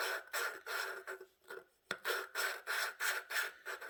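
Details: Hand lapping the exhaust valve with a suction-cup tool, pressing down, on an 18 hp Vanguard head; rhythmic gritty rasping at about three strokes a second, seat not yet bedded, becoming less gravelly.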